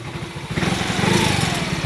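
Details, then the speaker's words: Yamaha X-Ride 125 with Diasil bore, complaint of engine noise, quiet when cold; warm idle rough and lumpy with harsh rattly top-end edge, initially suspected cam chain, tensioner adjuster replaced by a bolt; cause unconfirmed. "ini dapat kiriman Yamaha x-ride 125 seperti ini dengan keluhan ada bunyi berisik di area mesin"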